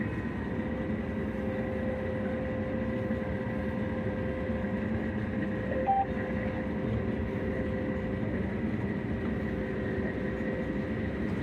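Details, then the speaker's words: Combine feeder house after the keyway was welded and the part refitted: steady, even drone with a constant mid whine and no knocks or slipping while taking corn; normal running. "And the head was running, but it was the feeder house that wasn't."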